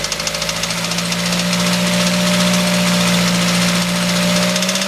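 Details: Mazda 3 at idle with ticking/rattling that started the day of an oil change with engine flush and Seafoam; persists after Lucas stabilizer, oil change and new timing chain, guides and tensioner: quick even tick about three to four per second; cause unknown.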